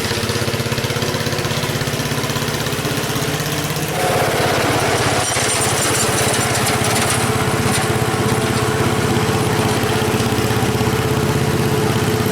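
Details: 1977 MTD 990 (badged Dayton, 16 hp) riding mower, formerly a no-start with electrical faults now fixed, cutting grass with the deck engaged at moderate throttle: steady, even engine beat holding speed, no misses or knocks; healthy under mowing load.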